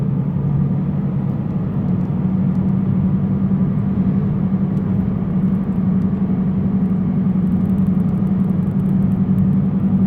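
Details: Car driving: steady low hum-rumble with no clear rhythm from the front driver's side, louder on acceleration, steering wheel shakes; owner suspects a bad wheel bearing, unconfirmed. Front wheel rumble while driving.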